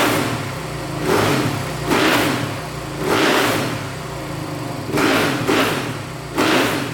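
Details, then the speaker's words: 2008 Suzuki RM-Z450 dirt bike after the throttle position sensor was set to 6 volts: six clean, even rev blips with no popping or backfiring; throttle response is now smooth. "So, setting that throttle position sensor to 6 volts really helped a ton. It's really smoothed up the throttle response. Sounds great. No popping, no backfiring."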